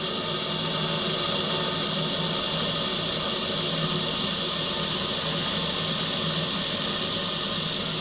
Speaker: Bon, le sifflet gêne, mais on n'entend plus de gaz. Le régulateur. Voilà. Plus rien.